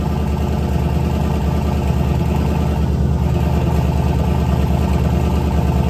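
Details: LS turbo V8 in a Chevy S10 truck, true first startup with a short exhaust and lots of smoke. Loud, deep, even pulsing idle with a steady beat and no knocks or misses. Owner says it's very loud but sounds good: normal running.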